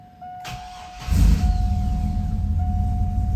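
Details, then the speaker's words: 4.3L V6 after cleaning the alternator pulley, test start run with the belt off: cranks, catches and settles into a steady low idle with no chirp or squeal, ruling out an engine fault. "Perfectly quiet. Okay. Whew. That's good news."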